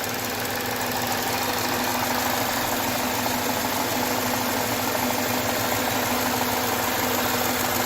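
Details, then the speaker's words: 2013 Jaguar XF 3.0 AJ126 supercharged V6 idling after engine repair, with fresh 5W20 oil and low coolant. Smooth, even idle with a faint light valvetrain tick, no knocks, misses or fuel leaks; sounds good. "foreign I like it I think it sounds good"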